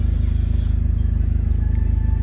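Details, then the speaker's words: BMW engine at idle: deep heavy throbbing pulse with strong low-end shake, engine and cabin vibration; air filter and an engine mount suspected, not confirmed. "तो इसके अंदर जो problem ए रही है वह है की वाइब्रेशन की की हम गाड़ी स्टार्ट करते हैं तो यह आवाज़ आपको ये साउंड ए रहा है"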